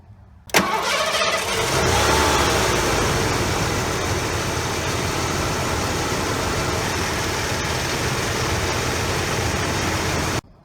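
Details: 1989 Lincoln Town Car after EGR valve replacement: engine cranks briefly, catches, flares up, then settles into a smooth, steady idle with no misses or knocks; normal start and idle.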